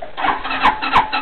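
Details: 260cc scooter after fitting a new carburetor with fuel added to it: starter churns in quick bursts about three times a second but the engine never catches; cause suspected, not confirmed.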